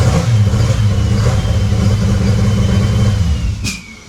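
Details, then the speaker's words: Freshly built VW VR6 engine, cold, running very rich at about 43 fuel pressure, held just off idle with throttle: uneven, lumpy low thump and stumbling beat, misfiring heavily on a cylinder; cause unconfirmed. "Alright, so finally after 1,000 tries, we finally got it. You heard it, it was running. Not in the best form. Obviously it's misfiring like crazy."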